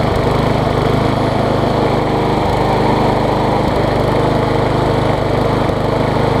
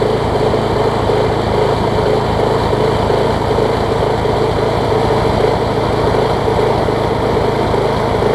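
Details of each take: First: MTD push mower engine swapped onto a Troy Bilt deck, after a bent blade, bent crankshaft and sheared flywheel key were found: flywheel key replaced, now at full throttle a loud, steady drone with even firing and no misses or surging. Runs smoothly. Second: Engine from an MTD push mower swapped onto a Troy Bilt deck, running on a long extension adapter after the mower hit something hard: loud, steady run with an uneven shake about once a second, the mower visibly vibrating; bent crankshaft, to be straightened with a hammer.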